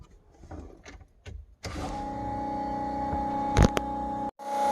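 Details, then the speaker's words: Fuelab variable-speed brushless fuel pump, PWM-controlled by a FuelTech FT550 at a fixed 60% pulse width, compared with the hard-wired jumper low-speed setting: steady, even electric hum at low speed, slightly slower than the jumper setting; normal running. "it is quite apparent that the low speed a little bit faster than this setting at 60 pulse width so we'll adjust that a little bit"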